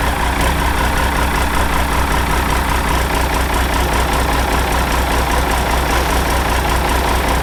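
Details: Ford 5000 tractor with a swapped-in Ford Brazilian 7.8 six-cylinder turbo diesel, early run after first fire-up, long-sat engine burning off water vapor: steady, even low idle rumble with no knocks, misses or rattles; healthy.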